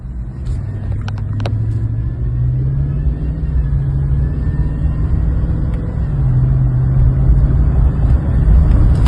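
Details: 2020 Chevy Silverado LT 5.3 V8 at idle: thin steady whine over the rumble from the drive belt tensioner pulley, fixed by replacing the tensioner pulley and serpentine belt.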